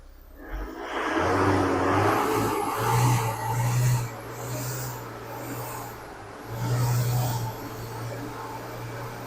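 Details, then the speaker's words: Isuzu Crosswind diesel, recently bought secondhand, also with slipping clutch, blow-by and white smoke, revved to about 3,000 rpm: uneven surging, shaking rough low note; worn injection pump not delivering steady fuel, needs overhaul. "so talagang ito po kailangan ko ring i-overhaul ang injection pump nito habang kanina pinipiga ko yung accelerator nito Nanginginig pa yung makina"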